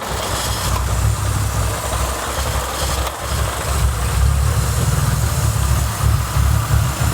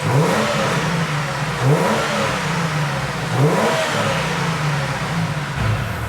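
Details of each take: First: BA Falcon after a drift day, check engine light coming and going: uneven, lumpy loping idle, sounding like big cams and idling high, from a suspected blown intake manifold gasket vacuum leak upsetting the mixture. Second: Ford BA Falcon six-cylinder after drift day, being diagnosed for lumpy idle, high idle and dropped cylinders: three clean throttle blips rising and falling smoothly, no stumble; blown inlet manifold gasket at cylinder 6 found and fixed.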